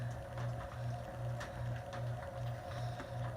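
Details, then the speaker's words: Antique Westinghouse ceiling fan on low speed: a low steady motor hum pulsing about 2.5 times a second with faint ticks; it sounds like a worn bearing that may need replacing, suspected, not confirmed. "let's go ahead and start off on low it kind of has a bit of a warm bearing it sounds like"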